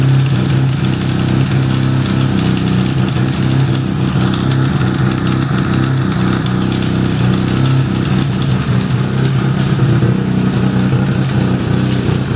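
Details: 1975 Suzuki RE5, freshly fully restored: a steady low idle hum with a rough uneven mechanical rattle over it from the gearbox side; abnormal transmission noise, cause unconfirmed, engine to be removed to inspect the transmission internals.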